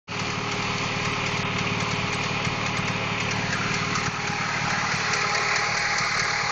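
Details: Honda H22 engine at steady idle: fast, fairly regular ticking knock at roughly three per second over the engine note. Engine knock, cause unclear.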